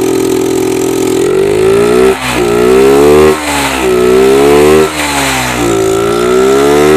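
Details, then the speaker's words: Yamaha Jupiter MX that keeps stalling despite a recent engine teardown: with the carb vacuum slide pried up and throttle opened, the engine surges and sags and won't stay running. Repeated carb/vacuum slide fault; fix is swapping to an RX Special carburetor. "hai tuh itu dia bunyinya dan juga pasti hidupkan dicongkel mau hidup tapi pasti lepas dia gak mau idup"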